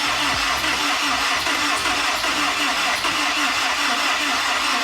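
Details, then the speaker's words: Honda S2000 rebuild with new battery, cranked next day: starter churns engine unevenly but it never fires; pulled spark plugs were wet with fuel, flooded cylinders, hairline crack suspected. "right so this thing just wouldn't fire up so we went ahead and pulled the sparklers to see what was going on and check that out these suckers are wet with fuel"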